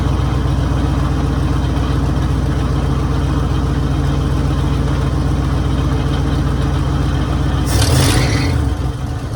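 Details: 1966 Mercury Monterey big-block Ford V8 at idle after a fuel leak fix, now starting and running on its own: deep, steady rumble with an even lope and a brief throttle blip near the end; idles cleanly, running like a top.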